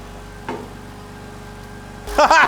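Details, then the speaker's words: First start of a BMW E39 530i Touring after fitting an Infinitas supercharger, new injectors and a tune, before warm-up: a quiet, even, smooth idle with a fast, light ticking from the injectors, much louder than stock. Normal idle. "it seems to be running very smooth the belt looks good oh these injectors are loud a lot louder than the stock one"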